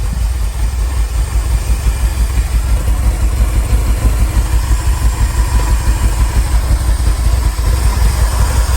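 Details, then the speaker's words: Ferrari 308 GTSi after new ECU and new injectors: uneven low rumble that runs briefly on fuel squirted in by hand, then fades and dies on throttle; fuel starvation, cause not yet known. "So what we are going to do, something a little bit stupid here, but we're going to remove this and we're going to fire some fuel in manually and just make sure that the engine will run when we've got fuel. Good? Yeah. That's me squeezing a bit of fuel in. You can hear it running."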